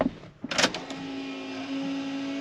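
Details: Turbo Vortec 350 small-block Chevy fuel pump, just fed by a new 5/8 in tank suction tube into half-inch fuel line: a couple of clicks, then a steady, even mid-pitched hum without surging; normal fuel pump operation.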